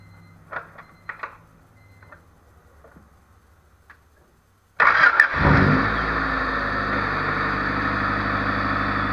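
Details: Honda Civic D16Z6 after fixing high, surging idle (not IACV; throttle body screen checked, coolant topped off): engine cranks, catches and settles into a smooth steady idle with no hunting or surging.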